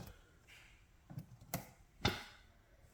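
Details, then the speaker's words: Fender Rumble 25 bass amp after repair, with Deoxit on all pots and cleaning of ground and input jack: near silent with no hiss or hum even at full volume, just a small pop and clicks at startup. "there's a little pop when it starts up but no noise anymore even when you crank the volume all the way up"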